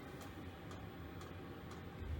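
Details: Diesel heater in a non-insulated two-man ice hut, about -5 outside: soft, even fuel pump ticks about twice a second over a quiet background, metering normally.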